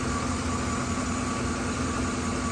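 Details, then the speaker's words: 2013 Chevrolet Silverado 5.3L with P0300 and P0521 codes, flashing check-engine light: the idle drones steadily but shakes unevenly with a lumpy beat as cylinder 3, the only active misfire, drops out from a broken spark plug. "Run the engine data, misfire data. You can definitely feel the misfire."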